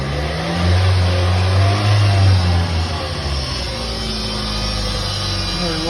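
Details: Toyota Fielder running on a lift: a deep, steady drone swells from the rear. The rear differential viscous coupling was removed and found noisy.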